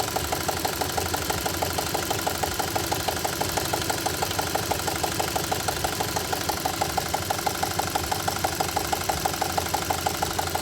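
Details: 2.0 litre CI engine idling: sharp, even knocking about ninety a minute over a steady idle; clear mechanical engine knock, cause unknown.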